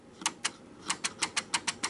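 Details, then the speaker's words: Fastrack turnout with switch stand moved to the opposite side, thrown from the controller: sharp, bright clicks about four a second as the switch motor strains, points not moving and jammed solid by hand despite pin in slot. "don't know if you can hear it but it's clicking but the switch is not moving and basically if i try to move it manually it's completely jammed i can't move it at all"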